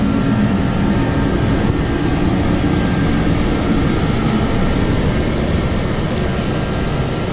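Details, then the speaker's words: DeWalt DXH135HD 135,000 BTU forced-air torpedo heater, just switched on in a 46°F shop: a constant roaring rush of fan and burner, steady with no pulsing or rattles. It runs normally and seems quieter than the older heater. "seems to be a little quieter than the other one"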